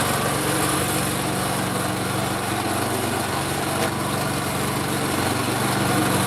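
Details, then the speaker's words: Craftsman snow blower small single, pull-started by hand after idle-circuit repair: holds a steady, even full-speed drone with no surging or hunting; normal full-speed running. "pull started by hand and we're running at full speed no surging no nothing"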